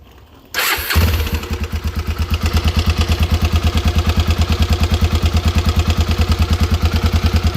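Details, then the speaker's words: Honda Twister motorcycle after replacing the connecting rod, piston, rod bearings and gasket; cylinder head not touched. Starts cleanly, then settles into a fast, regular knocking idle of about three beats a second. Noise persists after rebuild, cause unclear. "tá aí o Tostão montado E adivinha não ficou bom troquei a biela o pistão os rolamentos da biela a junta tudo"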